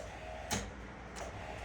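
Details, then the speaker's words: Early-1990s Oldsmobile Silhouette minivan, 172,000 miles, sat a decade or more, on a small trickle charger; two sharp single clicks about 0.7 s apart, no cranking; owner thinks it's the starter relay trying on a weak battery: clicking, no crank. "We got what sounds like the starter relay trying."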